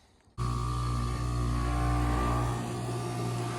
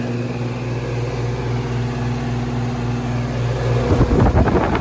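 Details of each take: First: Goodman AC outdoor unit, first call of the season, not cooling: compressor runs with steady low hum and faint whine but no fan whoosh; condenser fan motor not working (bad motor or capacitor suspected), motor later replaced. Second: Goodman AC condenser after condenser fan motor replacement and coil cleaning: steady low hum with even fan whoosh, brief handling rattle, then settles; running normally, cooling restored.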